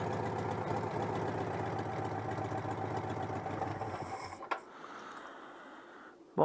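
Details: Citroën 2CV (AZLP6 with centrifugal clutch), just after clutch and seal work: small twin idles with an uneven, lumpy beat before shutoff. Owner suspects the unconnected breather hose is disturbing the engine. Rough idle.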